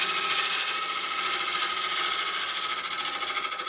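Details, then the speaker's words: Large maple burl bowl on a lathe at about 900 rpm, truing the face with draw cuts: the cutting hiss pulses loud then light each revolution, an intermittent cut because the surface isn't yet flat. "That surface isn't quite flat. You can hear there's an intermittent cut. Let's just stop that, have a look."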